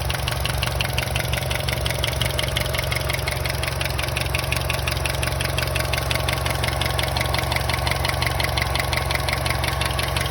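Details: Vauxhall/Opel Astra J 1.4T A14NET at idle: steady idle with a sharp, regular ticking knock about three per second laid over it; abnormal engine noise, source not identified.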